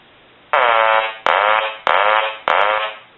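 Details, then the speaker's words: Hand-painted wooden duck novelty telephone rung after repair, eyes now lighting properly; four loud buzzy, nasal quack bursts each fading before the next ring; ringer sounds right. "we'll go ahead and ring the duck and what you're going to see is his eyes light now which is the proper way that it should look"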